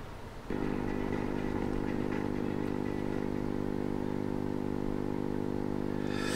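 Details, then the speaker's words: AM radio set fitted with an FM receiver module: constant low buzzing hum, from the module's 6.3 V to DC converter supply leaving about 20–25 mV ripple, absent on battery power. "that's the noise so here's I think the source of the problem I'm the power supply on this little module that converts the 6.3 volts to DC isn't quite doing a good job so you got about 20 25 millivolts of ripple on the supply"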